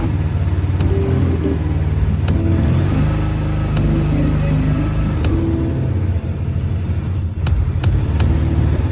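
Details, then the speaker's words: BMW R1100GS boxer twin on first start after fuel tank cleaning, electrical work and new fuel lines: uneven, lumpy rumble at idle with a wandering beat, rough because the throttle bodies aren't yet synchronized despite matched throttle cables. "So the bike started. You heard it was a little rough. It was a little rough starting. It was a little rumbly, but that was not surprising because the throttle bodies on each side are not synchronized."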